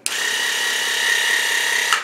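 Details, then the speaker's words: WaterPik WP-360 pump motor after lubrication, batteries not replaced: steady, even high buzz with no rattle or stalling; previously tired and stalling, now running smoothly like new, fixed by lubrication alone. "seems to run at a higher speed than this one but they're both as good as new really"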